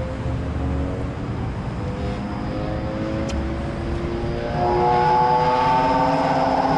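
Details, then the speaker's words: HVAC fan motor on a system blowing fuses, set to auto, ramping up: steady droning hum growing louder; worn motor bearing, motor must be replaced. "Once the bearing's gone, you can't do nothing about it. Hey. You kind of quiet the noise, but once right. The bearing's gone, you gotta replace the motor."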